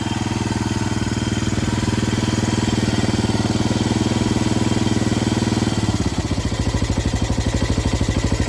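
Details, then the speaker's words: Yamaha 225DX Tri-Moto three-wheeler, before an oil change: even thumping single-cylinder idle, revs rise and settle cleanly through the range. Normal idle. "Listen to that thumping idle. That is beautiful. Goes through the rev range fine. Sounds good to me."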